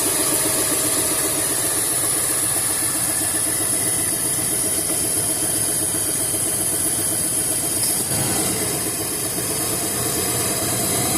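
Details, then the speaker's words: 1978 Ford with a 351 Windsor and RV cam, at idle: a steady wup-wup pulse locked to rpm, like a dead cylinder, with steady manifold vacuum and strong running off idle. Owner suspects the power steering pump or a dead cylinder; the donut gasket is ruled out and compression is untested. "Honestly, it sounds like it might be coming from the power steering pump, but it's in sync with the RPMs, like a dead cylinder."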